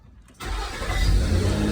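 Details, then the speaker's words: 2006 Nissan Xterra after no-crank/no-start fault (oil from failed valley cover gasket shorted ignition coil, blowing 30 A ignition fuse), evap vent solenoid reconnected: brief crank then clean catch and steady even idle; normal start. "and we started right up"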